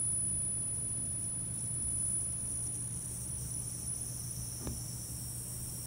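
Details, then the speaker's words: Behringer Xenyx UFX 1604 mixer, about six years old: constant piercing high squeal over a low mains hum; manufacturer suggested a failing power-supply capacitor, later confirmed as the power supply. "last year while we were using it just for whatever reason it started making this really terrible squealing noise"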